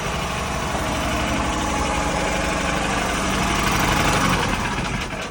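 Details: Harbor Freight Predator single-cylinder engine in a Catalina 30 sailboat, idling after a run just before shutdown: steady, even chugging with water pump and hull noise around it. Normal idle.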